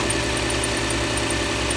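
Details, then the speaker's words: Ford F-150 idling in damp weather: faint repeated high chirps over steady hum, a fan-belt-like squeal, owner suspects a bearing; earlier hammering gone, maybe an air bubble after coolant work; injectors ticking audible. "uh just listen for any weird noises sounds like a fan belt kind of squealing a little bit but it's not a major thing really"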